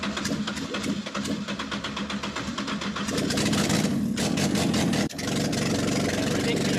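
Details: Ford Escort Mk1 with an ST170 engine, new gearbox and paddle clutch, fired up after cranking to confirm oil pressure: a steady firm idle with a slight lift, clean with no knocks or misses. Normal idle.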